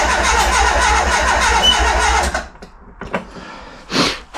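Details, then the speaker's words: Renault Express van with swapped Renault Trafic engine (48 hp original, non-original distributor and carburettor), choke cable pinched: starter cranks steadily about four beats a second for two seconds, never catches, sound changes to a hiss; no-start, owner suspects flooded engine. "déjà, le bruit a changé. Il siffle."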